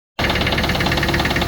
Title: Range rover classic 3.5 v8 engine knock....video after 10secs.